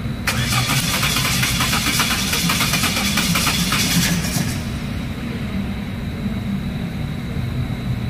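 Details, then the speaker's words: 2011 Chevrolet Cruze, fuel pressure, spark and compression good, new coil pack: starter churns about three beats a second for four seconds without catching; clogged catalytic converter, starts once oxygen sensor removed. "Binuksan ko ong ano itong oxygen sensor niya. Tinangal ko. Nag-start siya. Ibig sabihin barado guys yung catalytic converter nito."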